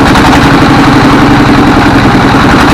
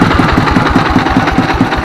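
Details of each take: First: A 24 HP S1115 single-cylinder diesel thumps unevenly at about 220 beats a minute, with thick black smoke and unstable revs. The governor and balls are fine, so injection is suspected: hunting from a worn injector nozzle. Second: S1115 24 HP single-cylinder diesel that had thick black smoke and surging, unstable throttle; after the check, idle is normal and smoke is reduced, with a steady, even thump about five beats a second and no misses or knocks.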